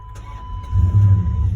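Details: 2002 Dodge Ram 5.9 with intermittent no-start, crank and cam sensor pulses and synchronization checked OK: short crank, then engine catches and settles into even low rumble; started normally this time.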